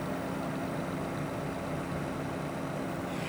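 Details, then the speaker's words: PC with custom water loop using an EK Supremacy Evo AMD water block and an Alphacool pump: a steady whooshing hiss with a faint low hum from the Asus R9 390X graphics card fans; radiator fan and pump almost silent; normal fan noise. "the noise that you can hear is coming from the fans of my Asus r9390x graphics"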